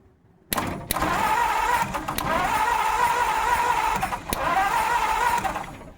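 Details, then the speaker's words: 1950 Ford F1 truck restoration, crank no start: starter turns engine steadily with no firing or backfire; ignition coil not getting hot, owner suspects wrong firing order or a bad coil, unconfirmed. "It sounds like it's Trying to start, huh? yeah. The coil's not hot. Shoot. The firing order might be wrong, but I should at least backfire."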